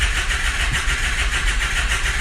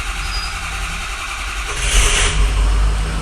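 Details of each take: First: Diesel, likely glow plug equipped, no glow plug codes: starter churns with quick, even compression pulses about six a second and no firing; cranking but not starting, compression sounds good, suspected logic-side failure, cause not confirmed. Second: Turbo diesel truck after finding and unplugging a corroded, shorted connector plug (no boost expected yet): starter whirr, then it catches readily and settles into a steady low diesel clatter at idle, slight popping from the intake.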